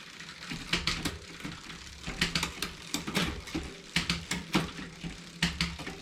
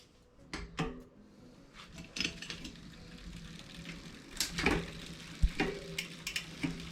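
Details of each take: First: 2020 Specialized Fuse 27.5+ with Shimano Deore Shadow Plus 10-speed rear derailleur, after barrel adjuster indexing: crisp single clicks per gear over light chain ticking, no grinding or skipping; shifting clean. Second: 2020 Specialized Fuse 27.5+ with Shimano Deore Shadow Plus 10-speed rear derailleur, H limit screw deliberately overtightened: scattered metallic clicks and ratchety chatter when shifting up; chain rubbing the adjacent cog.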